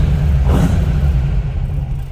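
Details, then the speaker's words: 1955 Ford F100 short-box pickup with side pipes under the running boards, just after start-up: deep, even exhaust rumble at a relaxed idle, no knocks or misfires; normal idle. "Of course, a little rumble coming out of those side pipes."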